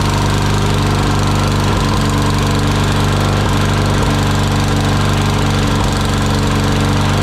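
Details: Murray lawn mower single-cylinder engine after carburetor cleaning of debris from dirty fuel, full throttle: steady, even drone with a firm low beat and no stumbling or hunting; runs healthy.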